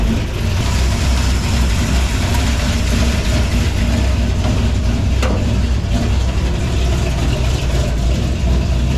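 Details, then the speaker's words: Warm idle on a project car with a new radiator and hoses: low, uneven lope with a beat that drops out regularly. The owner was unsure whether a plug wire or a valve was to blame; the cause was a bent pushrod's dead cylinder. "can't really tell if it's a miss a plug wire I mean I know it's a miss plug wire or maybe the valve"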